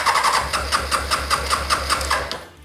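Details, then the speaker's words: 2006 Honda CBR600 F4i, sat not running, spare ECU fitted, fuel pump priming: starter churns in quick even pulses and it tries to fire but won't start; owner suspects no fuel delivery, as it runs on starting fluid. Crank, no start. "It sounds like it's trying to pump something into the bike and it's trying to fire, which is really nice."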